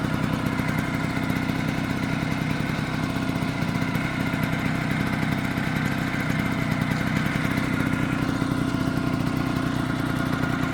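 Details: Vespa PX two-stroke scooter idling with a dense, rattly clatter over the usual buzz, a weird engine noise that appeared after a new clutch was fitted.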